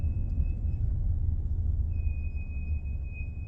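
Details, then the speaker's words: 2001-ish Toyota Camry, about 27,464 miles, recorded while driving: thin steady high squeal over low road rumble, dropping out briefly and returning; brakes squealing. "I don't know if you can hear that that's my brake squealing"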